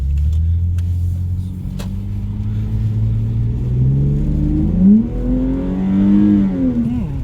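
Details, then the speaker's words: Lexus IS300 2JZ-GE VVTi on a drive after an HPS Performance short-ram cold air intake install: deep smooth drone climbing steadily in pitch through the revs, easing and pulling again without misses; normal, strong acceleration. "not bad guys actually sounds pretty good not gonna lie"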